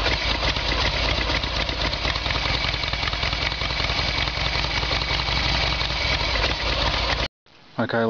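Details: Evolution Sportster carburetted engine fires up and holds a steady, loping idle without stumbling on the petcock's reserve setting; the intermittent backfiring and stalling traced to a faulty petcock (fuel tap) starving the carburettor, now fuel flows.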